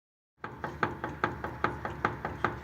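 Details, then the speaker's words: Steering knock: sharp metallic knocks about five a second with no engine noise; the sound disappears when the tie rod is held, removing the play. Suspected steering rack gearbox or tie rod end under the boot, not confirmed. "какую вот металлический звук при чем если делая если лиса на рулевой тяги звук пропадает то есть люфт убирается"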